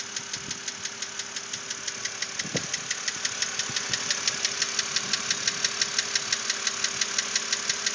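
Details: 2006 BMW Z4 3.0si at idle with a steady, sharp ticking knock about three times a second over the engine hum. The knock persisted after the lifters were replaced; cause unknown. Recorded before further repair.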